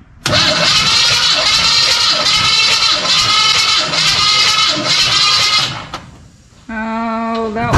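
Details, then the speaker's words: 1985 Chevy C10 with 307 small block during compression testing (about 130–150 psi per cylinder): slow, labored cranking with an even chug about twice a second and no firing, battery still around 75%; slow cranking. "Do you want to try it with some more juice? No, because it's cranking over so slow. So that's good."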